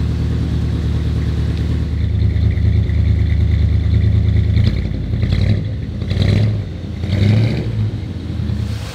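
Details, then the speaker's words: 1962 Chevrolet Impala V8 at first fire-up after AC, gauge and wiring work, still warming (thermostat not yet open), possible exhaust leak: deep even rumble with clean throttle blips, no knocks or misses; healthy. "man that's a good sound listen to that"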